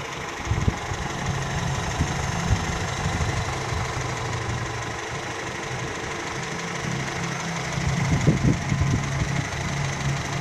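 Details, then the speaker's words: Older car engine during a 5–10 minute warm-up while the radiator is checked for leaks; steady, moderate idle with a few light bumps but no repeating knock; sounds fine. "suaranya masih oke ya oke jos"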